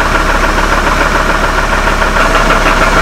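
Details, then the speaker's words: Copart Hummer H3 that has a stalling issue, just after a cam/crank sensor swap: knock starts immediately at idle (usually only once warm), a dull knock about three times a second; owner suspects a rod bearing, not confirmed. "you can hear the knocking. Right now it started immediately."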